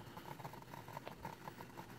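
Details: Refurbished Nikon 70-300mm VR lens on a D7000 (also on D5100): quick irregular chattering ticks whenever the camera is switched on or off, focus itself fine; abnormal lens noise, cause unclear.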